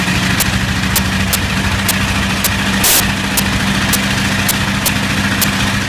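Steady deep radial drone with a sharp tick or pop about twice a second; a slight, regular misfire.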